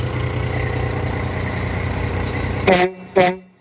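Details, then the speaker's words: Freightliner FLD120 with newly replaced Chinese air horns, after air pressure built up: diesel idling, then two short, loud, clean chord blasts with a steady pitch; the horns sound strong and healthy. "Okay, I think we got air build up. Let's try it. Okay. Holy moly. That sounds good, Chinese stuff."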